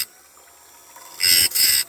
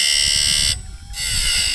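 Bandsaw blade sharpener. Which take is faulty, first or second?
second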